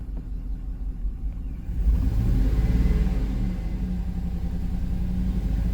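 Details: 2005 Cadillac Escalade, 6.0L LQ9 V8 parked five years, P0300 random misfire, idling after swapping injectors 2 and 6: lumpy, uneven idle with an irregular stumble in the low rumble; cylinder 2 still misfiring.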